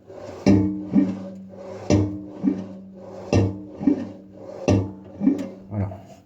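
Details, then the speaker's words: Samsung washing machine drum rocked by hand: scraping, rubbing bursts from a worn, torn drive belt dragging inside (a fallen screw or object could also cause it); belt replaced. "ça c'est c'est le bruit suspect donc ce bruit là on peut l'avoir soit si on a une pièce ou une vis ou quelque chose qui qui qui est tombé dans dans le tambour directement soit parce que la Cour est à Ch"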